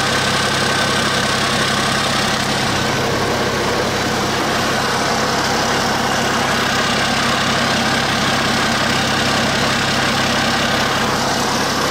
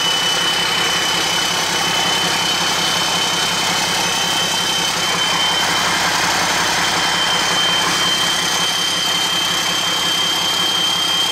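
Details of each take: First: Cummins 8.3 (505 cid) diesel in a Hyster forklift, just refitted with a larger HX55 turbo (11 cm housing), intake not yet hooked up: steady even idle, smooth low rumble, no knocks or misses; healthy. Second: Hyster with Cummins 8.3 (505 cid) diesel, HX40 turbo with machined small 6cm exhaust housing, idling with no load: steady high whistle over rumbling idle; about 35 psi drive pressure for under 20 psi boost, housing far too restrictive, later replaced by HX55 11cm.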